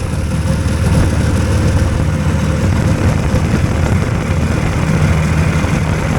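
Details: Hurricane hovercraft engine now running on both cylinders: a loud, low, steady drone at a raised idle that is held high because the drive fan is always pulling a load. Firing is even and both cylinders sound about the same.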